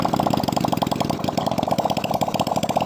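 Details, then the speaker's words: Nasa (GN5) four-stroke single after fitting a new 0.25 oversize piston, rings and valve seals to cure white smoke and oil loss, run with no exhaust fitted: crisp, rapid, even beat, no knocks or misses; running smoothly. "O mesin di sini sangat lancar sekali semburannya"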